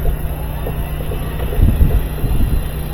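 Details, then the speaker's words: Older GE washing machine after replacing the failed drive motor and fitting the drive belt: low steady hum as the tub spins smoothly, no knocking, scraping or grinding; normal spin, confirming the old motor was the fault. "see the tub spined in there that was a motor"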